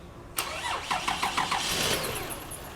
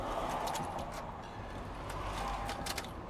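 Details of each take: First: Toyota Sienna van that did not start gets a quick crank of about four even turns after starter replacement, then catches cleanly and settles into a steady idle; healthy start. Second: 2004 Toyota Sienna van with a customer no-start complaint: weak, uneven cranking attempts, then a high whirring whine that rises and falls without the engine catching. A failing starter is suspected.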